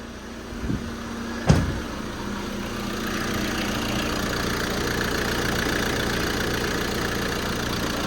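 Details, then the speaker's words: Diesel after fitting a new pulley and idler tensioners: brief start-up thump then smooth, even idle with the previous rattling noise gone; sounds healthy. "but it's a lot quiet you can't hear that you can't hear that um rattling noise"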